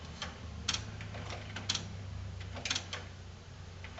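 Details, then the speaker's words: Old Sony HCD-GRX10AV mini system with 3-CD changer: in CD mode, light irregular clicks about once a second over a faint hum as the changer checks each position, then the unit shuts off to standby. "CD clicks a few times and then it shuts down"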